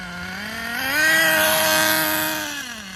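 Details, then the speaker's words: Schumacher Menace nitro RC car on new tires, last of its nitro. Small engine buzzes up, holds a wavering high note that won't clean up, then falls back; the high end needs tuning, and excess oil in the exhaust was ruled out. Rich high-speed needle setting. "It's the high end that needs work, obviously."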